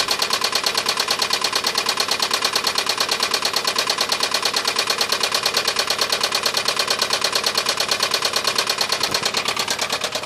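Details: 2007 Honda Ridgeline V6 bought at auction: steady sharp idle knock about three a second, persisting after replacing the hydraulic tensioner; engine believed bad.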